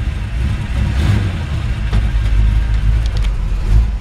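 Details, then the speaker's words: 1954 Ford F-100 V8 just started cold, good oil pressure: deep rumble rising and falling smoothly through blips, no knocks or misses; healthy, timing possibly needing adjustment per owner. "Oh, it just went right for it. Oops. And she's still cold too. Good oil pressure. It's still cold, so take a second to crank up."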